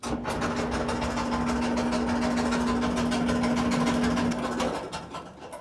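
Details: Kenmore (Whirlpool) dryer running before repair: steady low drone with rough, rhythmic thumping.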